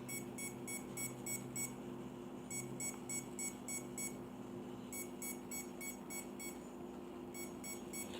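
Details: RC helicopter at zero throttle: groups of six quick high beeps repeat about every two and a half seconds over a low hum; beeping stops when throttle is raised slightly, owner unsure if normal.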